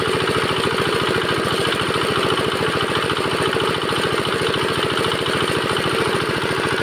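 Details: Bharat R175A single-cylinder diesel after full rebuild following a sudden stop with a jammed flywheel: crisp, evenly spaced thumps around ten a second, steady with no knocks or misses; running normally.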